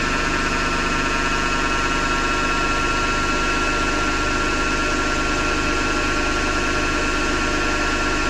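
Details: Hotpoint Ariston FMD963 washing machine with steady harsh grinding and a loose throb of about 100 per minute all through the cycle; the owner suspects the motor rather than the drum and will remove the belt to test.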